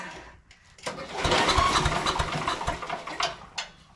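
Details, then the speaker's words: Sears Craftsman 9HP chipper/shredder, over 30 years old, after its carburetor was cleaned and reassembled. The fuel contained water and the fuel shutoff position was uncertain. Quick uneven cranking never fires; the spark plug is dry, so fuel may not be reaching the cylinder. A split plug boot was also found. "Spark plug's dry. I just don't know if we've gotten fuel going into it yet."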